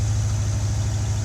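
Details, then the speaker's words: 1984 C4 Corvette, warm engine after a smoking episode (owner hopes it was oil from a leaking valve cover gasket, wonders about the exhaust manifold): deep, steady, even idle with no ticking or knocking; not overheating, normal warm idle. "i don't know but the car's not overheating as you can hear it's running good"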